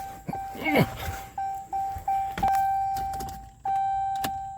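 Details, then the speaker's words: Jeep Cherokee Latitude with range sensor codes that return immediately after clearing: only dash chimes and clicks on key turn, no cranking; transmission-related no-start, stripped valve body bolts found. "nothing try to clear codes out I cleared codes and that one came immediately right back and still no cranks"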